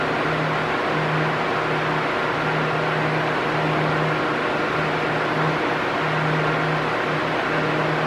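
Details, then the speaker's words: Arno Silence Force 40 cm fan running at maximum speed: a loud, steady airy rush with a low hum and no surging or rattle; normal for this fan. "Se o barulho tiver igualzinho, hum, não tem problema. É normal mesmo. Ele faz um barulho alto no na na velocidade máxima, né?"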